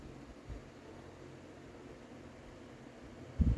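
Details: Late-1990s Lasko 16-inch desk fan Model 2016 Type 16-1 on low, previously cleaned: soft, steady low hum with faint airflow, no ticking or rattle; runs smoothly.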